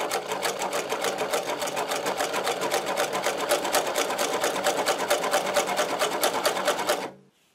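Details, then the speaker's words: Servo-driven Podolsk sewing machine on thick leather, high speed with pedal fully down; even, crisp stitching clatter with no hesitation or grinding: running normally, stitch perfect. "А здесь, на высокой скорости, смотрите, я нажал на педаль до упора. Смотрите, стежок идеальный."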